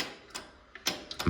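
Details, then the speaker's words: Yanmar 1500D tractor, believed 2TR15 engine: key turned, a couple of light ticks and a dull clunk as the starter solenoid throws the bendix, but it doesn't crank because the solenoid's rear contacts don't make connection. "So you can hear the actual solenoid itself working in here and throwing out the bendix. But again, the issue is these contacts at the back of this solenoid are just not working, or not making connection, I should say."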